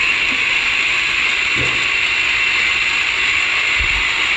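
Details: 2012 Ford F-150 3.5L EcoBoost at idle: a loud, steady high-pitched ratcheting grind from a worn vacuum pump bearing (pump behind the driver's side headlight, subject to a recall), with the pump visibly shaking.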